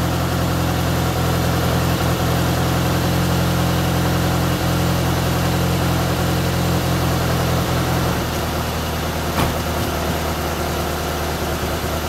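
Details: Toyota AE86 restarted after fitting a cleaned, refurbished gas tank, new fuel pump and fuel filter: even, steady idle with a smooth low rumble and slight tone settle, no misses or knocks; normal idle.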